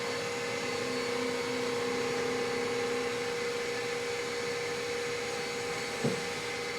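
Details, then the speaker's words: Machining of 17-4 PH stainless steel flange bolts; a steady, even whirring tone under an air blast, no chatter or squeal, so the finishing spring pass is clean and healthy. "All right, well that sounded good, so let's keep going with it."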